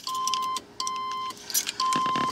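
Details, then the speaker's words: Car alarm triggered on a restored 1978 Corvette while working on the hood release: three steady mid-pitched beeps, about half a second each and evenly spaced. "uh how about that and my alarm went"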